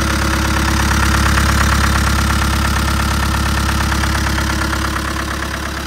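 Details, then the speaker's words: Newly arrived classic restoration project with a diesel engine; even diesel clatter at a regular idle with a steady beat and no misses or odd knocks; normal diesel idle. "But you heard him running. We've fallen lucky in that we've got the diesel engine because a lot of these were petrol back in the day."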